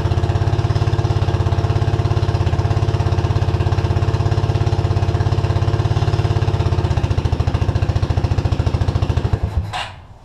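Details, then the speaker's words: Suzuki King Quad 300 single-cylinder carbureted ATV, tank lower than carb: it thumps steadily at idle on float-bowl fuel, then falters and dies as the bowl runs dry; fuel starvation. "I figured out that they had to cover the fuel pump on wrong which won't allow it to to suck Fuel"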